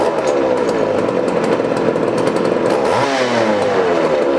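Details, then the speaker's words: 1981 Poulan Counter Vibe 4000 chainsaw: runs with high two-stroke buzz that wavers and dips briefly before climbing back; slight hesitation, cause not yet found. "all right we got that you're running but if you listen there's a little bit of hesitation"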